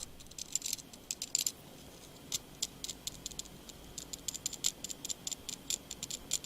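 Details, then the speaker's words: Nokia Lumia 920: light, irregular high-pitched ticking rattle when the vibrating alert goes off, caused by the camera's loose-floating OIS stabiliser. "this is a rattle you can hear when the vibrating alert goes"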